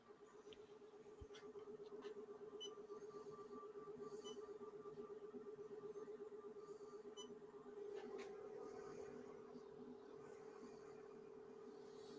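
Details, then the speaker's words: Aliencell X1 40 W laser engraver on its first job with air assist set to auto: warbling, gobbling, turkey-like hum pulsing quickly and evenly near one pitch; normal air assist pump operation. "The air assist. It kind of sounds like a turkey. It's working though."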